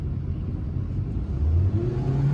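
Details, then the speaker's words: 2014 Toyota Corolla LE, 1.8 L 2ZR-FE, after repair for no throttle response, high or rough idle and code P2118: on a test drive the engine revs smoothly and climbs steadily in pitch with no stumble or hesitation. Normal acceleration. "Oh yeah, she's actually running pretty good."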